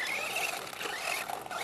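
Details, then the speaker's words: Traxxas Slash 4x4 RC car on 1/8 buggy tires, running on a 2S LiPo: a wavering high-pitched squeal over the drivetrain whir. Consistent with a worn bearing. "you could hear that bearing man jeez"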